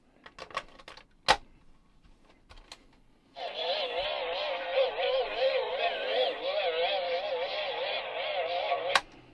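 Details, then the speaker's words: 1986 Sanyo MGR61 radio cassette personal stereo playing a tape: slow playback with wobbling, wavering pitch; wow and flutter from a perished, slipping drive belt, before belt replacement. "all right so that's basically a sign that the belts have gone if it's kind of working without the load of the cassette in there but it doesn't work when the tape's in there it means the belt's perished it's slipping"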